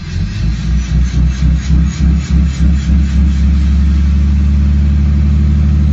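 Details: 2013 Dodge Ram 6.7 Cummins, fully warm (86 °C), exhaust removed, free-revving in neutral: open exhaust rising and falling in pulsing whoosh about four times a second; VGT turbo surge, boost limited to 16 psi; new actuator, solenoid, sensors didn't fix.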